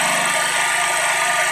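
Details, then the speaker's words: Champion 4,375/3,500 W generator after a carburetor cleaning, started on the fifth pull and running on used motor oil: steady, even drone at constant speed with no misses, knocks or surging. Runs smoothly and produces voltage. "It's running relatively smooth. So, all righty, dude. I think she's officially done. And she runs."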